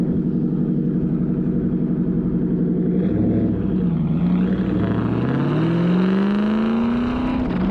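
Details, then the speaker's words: Car revving after misfire fixed with new spark plugs and a new coil: pulls up cleanly with a steady, even note, no stumble or popping; running smooth. "we went ahead and finished up putting spark new spark plugs on this side of the engine it actually ended up sorting out all the issues so it runs good now"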